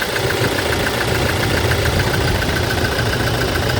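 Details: 2018 Toyota Hilux diesel idling with a rough, uneven thrum under injector clatter; code P0301, cylinder 1 misfire, traced to the number-one injector, which is serviced.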